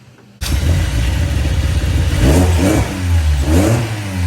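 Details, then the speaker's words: 1998 Honda Prelude with Jackson Racing supercharger and Crane Cams ignition, first start after repairing an open ignition wire with butt connectors (no-spark fix), not run in years: catches and fires on all four but lopes unevenly with uneven revs; rough idle. "Firing all four. Not the smoothest, but it can get there. That's a start. This thing hasn't ran in years, so you know, it is what it is."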